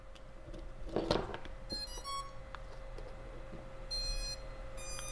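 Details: Short musical beeps from the motors after power-up on a BetaFPV 85 Pro 2 micro drone (tiny whoop), the normal ESC startup tones, heard once an external 5V micro BEC was wired in to fix a no-boot fault.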